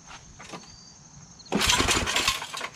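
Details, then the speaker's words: Yard Machines MTD 8HP Tecumseh Snow King 24" two-stage snow blower, not priming, carburetor likely clogged by stale fuel, full choke high throttle: quiet pause then harsh crinkly metallic rattle during a pull-start, a loose screw vibrating; engine doesn't start. "some kind of a crinkling rattling thing sounds like there's a screw loose i got a screw loose"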